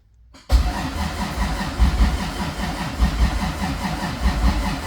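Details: Toyota 2JZ VVTi turbo swap, very first start after ECU calibration and timing setup (minor trigger setup issue noted): engine catches right after a brief crank and settles to an even low thump, no misses; running fine.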